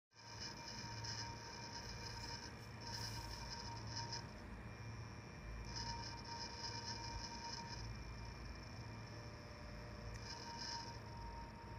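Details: Failing CPU cooler fan assembly in a PC: steady whine with a high hiss that swells and fades, noise continued even with each fan stopped; located by tapping parts; cooler likely needs replacing.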